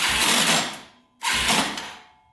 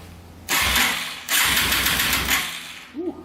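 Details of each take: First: Yamaha TTR230 dirt bike, non-running, battery drained and on a charger: two short cranking bursts with harsh metallic grinding and clatter and no firing. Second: Yamaha TTR230 after some bolts were refitted with blue Loctite, cranked on a charger without oil or carburetor: two bursts of steady, even starter whir with no grinding, nice and smooth; owner unsure if crank is junk.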